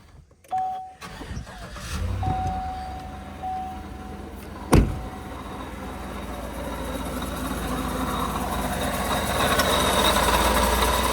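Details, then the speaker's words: 2015 Chevy Tahoe V8, noise present cold or hot, no vacuum pump codes: idle carries rough, gritty grinding felt by hand at the water pump, not yet leaking from weep hole; worn water pump bearing. "I can just put my hand on the water pump and feel a grinding, sort of metallic-y feeling. So I'm almost 100% sure it's a water pump"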